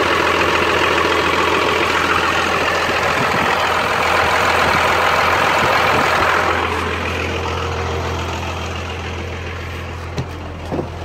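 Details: Cummins 12-valve diesel, rebuilt, injection pump about 20k ago: loud running that settles back toward a lumpy, stumbling idle. Misfire that worsens after a few miles or revving until it dies; owner notes it runs smoother with the filter drain valve open; cause unknown.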